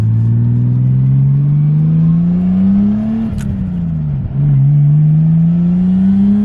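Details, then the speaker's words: Nissan R33 Skyline with RB engine, after fitting a ProFlow LS alternator kit to fix voltage loss: engine note climbs smoothly through the revs, dips briefly, pulls cleanly with no stumble; owner says it revs much happier, perhaps from the free-spinning alternator. "I'm not entirely sure what that's all about, but the car is definitely revving much happier. Like, it's a lot happier now, and I don't know why."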